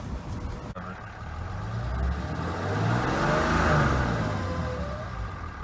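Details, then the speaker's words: 2012 Ram 3500 6.7L diesel pickup accelerating, a thin whine rising in pitch with engine rumble every time it accelerates; cause not stated. "time I accelerate, it does that."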